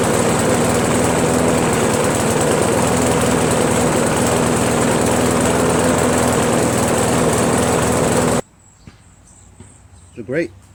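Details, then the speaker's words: Briggs & Stratton Pulsa Jet Prime mower engine, before repair, after sitting a while: fast drone for about eight seconds, then cuts out, running very rich; owner's theory is a worn carburetor diaphragm and gasket. "let it run for about two minutes starting to run like crap now it looks like we're gonna change the gasket and diaphragm"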